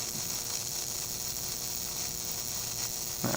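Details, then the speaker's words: Aerospace wire connector under high-voltage test: at 3300 V AC a sustained arc jumps between the pins with a steady harsh buzz and fizzing hiss, held 30 seconds; insulation and connector insert begin to be damaged; arcing halts near 2200 V. "e we achieve 3300 volts we see a sustained arc between the pins and we keep the voltage at this level for next 30 seconds as you see here the arcing continues unabated"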